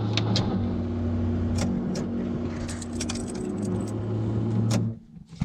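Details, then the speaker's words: 1979 Chevy K10 cold start, no tachometer: cold-blooded engine idles low and lumpy, an uneven beat under a steady drone with keys rattling; rough cold idle, choke probably not set. "there it goes it's a little rough as you can hear it is very rough it shouldn't be off right now"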